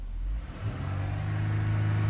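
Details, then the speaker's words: 2014 Dodge Durango 3.6L V6 after PCM replacement: engine note climbs smoothly from idle to higher steady revs with no stumble, the previously dead accelerator pedal now responsive; crank sensor fault still pending. "And you guys can see the pedal is now responsive. I'm gonna rev that up just so you guys can see. We no longer have a dead pedal."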